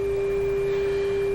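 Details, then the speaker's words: Restored Canadian Westinghouse 981 shortwave radio tuned to 10 MHz, signal generator at 10 MHz, 1000 microvolts, during final sensitivity test: steady clean tone around 400 Hz, even level, little hum; receiver working normally. "this radio is tuned to 10 megahertz signal generator is running at 10 megahertz which is why we can hear it"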